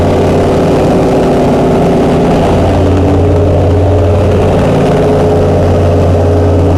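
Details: Chrysler 440 Six Pack V8 with triple two-barrel carburettors, after replacing a damaged centre-carb gasket beside the power valve: loud, steady idle with an even deep rumble and no misses or surging; sounds healthy and settled.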